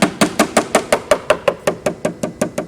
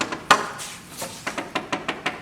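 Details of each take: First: Bellanca wing inspection, tap test moving from a rib toward the outer edge: crisp even taps about five per second turning dull and hollow over a rotten rib; dull tap over rotten wood. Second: Bellanca Viking wood wing inspection (AD 76-08-04), tap test around landing gear leading edge fairing: crisp, sharp taps ringing solid with no dull or hollow spots; no rot.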